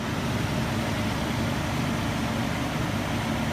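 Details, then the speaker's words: 2003 Nissan Frontier 3.3L V6, 5-speed manual, 170,000 miles, idling after new distributor cap, rotor button and plug wires: steady, even low idle, smooth unbroken hum, no misses; previously lumpy, now idling cleanly. "Man, that sounds a lot better. Like it's supposed to. Yeah."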